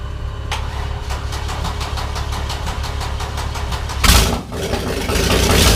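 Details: OMC 4.3L marine engine after charging the cranking battery (earlier slow cranking traced to ~6V jumper cable drop, not starter): slow even cranking, then fires and settles into steady low rumble. Normal start and idle.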